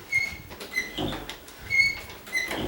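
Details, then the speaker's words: Condo interior door swinging: high, thin paired squeals with rubbing from between the dry hinge knuckles, not door contacting wood; grease in the hinge cures it. "that's because in between the knuckles somewhere it's it's doing that it's not hitting the wood or anything"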